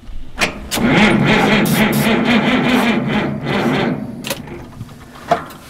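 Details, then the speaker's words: Allis-Chalmers HD16 bulldozer unrun since the 1990s: cranking diesel catches and roars roughly for a few seconds on ether, then dies; fires on starting fluid but does not keep running. "look come here straight yeah look at that holy cow that thing is oh man if I have got to the Qui ether quicker I could have kept it running you know"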